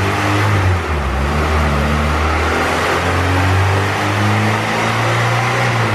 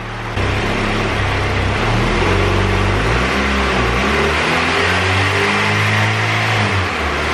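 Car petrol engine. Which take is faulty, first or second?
second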